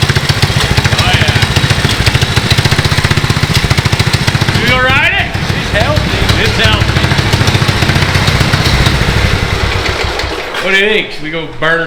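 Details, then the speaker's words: 19 hp Briggs & Stratton riding lawn mower engine fitted with a four-stroke 450 dirt bike carburetor, just started: loud even low thump at idle, then crisp blips rising and dropping cleanly; healthy and responsive. "oh my gosh that's loud going idle I it's going even idle give her ack that's awesome that's a little better pretty Snappy"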